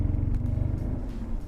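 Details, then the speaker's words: BMW E46 330ci driving in second gear: deep throbbing vibration drone under the car from a worn driveshaft center support bearing, before replacement along with the guibo. "Okay, that's that vibration. I hope you hear it. It's right here. Okay, that's Driveshaft support bearing going out"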